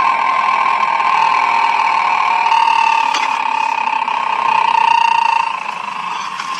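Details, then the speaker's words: Electric car drive unit checked with Steelman noise-detector probes on motor and transmission: steady mid-pitched whine during drive, most audible at the transmission probe. "in engine and then the motor and transmission and you can hear the noise it's more audible in transmission"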